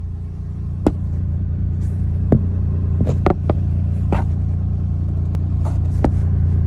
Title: Clicking Noise